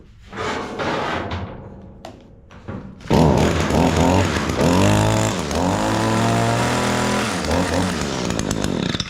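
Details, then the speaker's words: Echo SHC225S two-stroke hedge trimmer, after flexible drive shaft replacement and regreasing the dry gearbox: steady buzz at working speed. The earlier gearbox knocking has quieted right down, possibly overgreased; normal running. "quieted that. It quieted it right down. I may have put too much in it."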